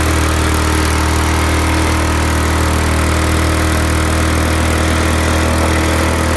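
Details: Briggs and Stratton lawn mower engine after head removed, head gasket refitted and carburetor clean: strong, steady single-cylinder drone holding constant speed without misses or surging; running healthy.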